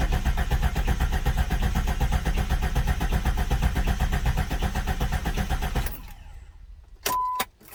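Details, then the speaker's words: 1999-2004 Jeep Grand Cherokee 4.0 after head gasket replacement: steady even cranking, about four beats a second for six seconds, no firing. Fuel pump and injector fuses pulled to circulate oil first. "All right, now that I cranked it over a little bit, I put the fuses back in."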